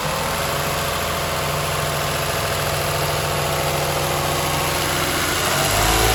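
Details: 2007 Toyota Highlander 3MZ-FE V6 at idle: a light, quick ticking rattle, roughly steady, over the engine hum; the owner wonders if it is an exhaust leak, cause unconfirmed.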